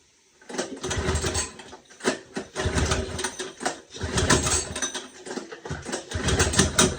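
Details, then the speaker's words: Small engine running after carburetor rebuild and stripped bowl bolt repair: catches and keeps going with fast busy chatter, slight surging but holds; runs as it should. "That was the carburetor I just rebuilt. Got it running."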